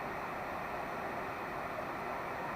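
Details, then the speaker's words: VW T3 Vanagon heater blower fan on speed level 2, after lubricating the motor shaft bush through an added oil feed pipe: strong, even airy rush with no squeak or chirp; normal blower running. "this is how it's lubricated now you can hear there's no squeak and that's on band level number two doesn't it seem nice"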